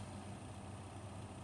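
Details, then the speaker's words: Cooler Master V8 CPU cooler 120mm fan spinning up: steady low droning rumble with buzzy rattle, no rhythm; fan sounded iffy in the system, fan should be replaced. "I'm gonna turn it on and I'll show you guys what I'm talking about it's like crawling across the sea lookit"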